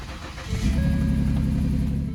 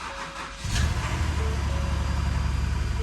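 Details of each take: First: 2010 Ford Taurus 3.5 L, 104,000 miles, water in engine from internal water pump, diesel added to crankcase to clean sludge; cranks and catches quickly, steady low running note with no rod knock or ticking; engine runs good. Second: Ford engine at first start after a timing chain job: cranks, catches and at first sounds normal, then settles into a rough, uneven, lumpy idle; a misfire, confirmed with a scan tool.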